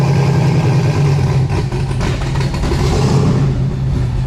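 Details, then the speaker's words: Ruby, Cleetus McFarland's turbo car, started with Holley, fuel and water pumps on: loud, deep idle wavering unevenly instead of settling smooth; mixture going lean at idle from a low spot, with good vacuum and oil pressure. "going lean got a real uh issue with the idol getting the real lean"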